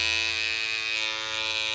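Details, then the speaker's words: Cordless T-outliner trimmer with a deep-tooth GTX blade: harsh high buzz with a loose chattering rattle, blade lifting and vibrating in its mount after long use, not seated firmly. "when I turn the char on this blade the blade has begun to move up some and it's not sturdy it's not set right"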